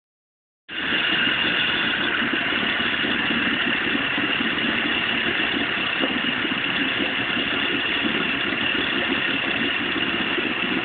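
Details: Vetrok-8 small two-stroke outboard, part 2: steady fast idle with a rough, uneven rattle through the buzz; engine knock, cause not confirmed.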